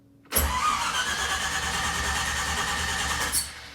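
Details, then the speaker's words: 1962 Corvette with 1963 Latham supercharger, cold start after sitting about 3 weeks with carb fuel evaporated: cranked 3–4 times unprimed, then pumped about 4 times; brief cranking churn, then it catches and settles into a steady, even run. "So I don't pump it at all. I just crank it 3 or 4 times, and then I pump it about 4 times."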